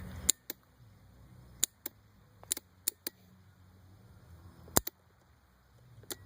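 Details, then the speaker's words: Yamaha Raptor quad (stock, Motorworks exhaust) that always started with one push now gives only sharp single starter-relay clicks at each button press, no cranking; headlights dim when unplugged from the truck, cause unknown to the owner. "it's always start uh with one push of this button but as you just heard um in the starter relay that's all it's doing i don't know what it is"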